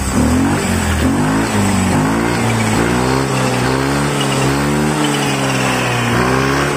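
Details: Yamaha Mio 125 scooter after fixing an intake manifold air leak that stopped it taking throttle: revs up and down cleanly, pitch tracking the throttle, no stumble or hesitation; running normally.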